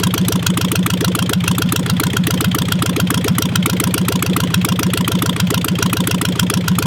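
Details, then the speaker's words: 1958 Volkswagen Beetle with 36 hp engine, sitting since 1983, cold start with loose belt: loud, raw, rapid popping at a steady idle with crisp unmuffled exhaust pulses; running with no muffler. "it needs a muffler but let's uh let's try to fire this thing up will it run cold start"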